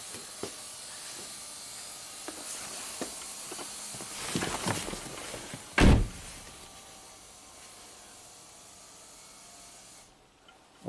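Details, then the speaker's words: 2010 Toyota Prius, 230k miles, brake booster pump previously cycling from suspected internal leak; with level sensor disconnected, door opened, pump hums steadily a few seconds then cuts off cleanly on reaching pressure. "i guess it reaches pressure that's good"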